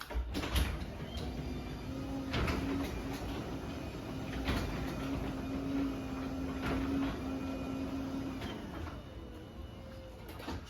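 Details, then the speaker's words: LiftMaster 8550 garage door opener, unchanged door, run up; low even hum with soft clicks as door travels, no grinding or straining; extremely quiet, normal operation. "Obviously, this one is still extremely quiet. We'll run this back up."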